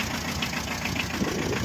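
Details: 2012 Tata Ace diesel, started after heater glow cycles: steady idle with usual light clatter, no distinct knock or change in rhythm; engine sounds normal.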